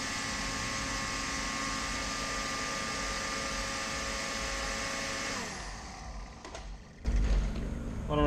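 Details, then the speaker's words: Forced air heater with pump pressure set toward the 3.5 psi spec but reaching only about 1.5 psi; only the fan's even whirr runs then winds down, no roaring burner; no combustion from low pump pressure. "you also probably noticed there was no combustion you know how loud these are"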